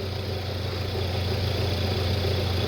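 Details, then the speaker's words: 2006 Audi A4 abandoned about 4 years, first start on spare battery: steady low even idle with slight rising surge, no knocks or misses; normal cold-start running until warmed up. "Yeah, but that's normal for cars that are just turned on. Whenever you turn on the car for the first time until it heats up, that's what happens."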